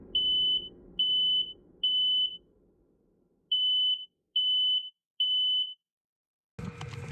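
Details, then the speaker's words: Camper van in Arctic winter on Alaska's Dalton Highway, subzero: at 3 a.m. the carbon monoxide alarm sounds, groups of three sharp high beeps, cabin smelling stuffy; owners then checked the diesel heater. "Basically, 3 in the morning, the alarm, the CO2 carbon monoxide alarm went off and woke us up, and it was smelling a little stuffy in there."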